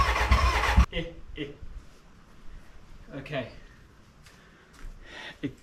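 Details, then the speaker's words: BMW K100 cafe racer build, first start attempt: short ragged burst of firing under a second then silence, barely catching; hard starting, owner thinks the battery is flat, later suspects the fuel mixture. "kind of started, but I think the battery's stuffed, so let me recharge it and try it again."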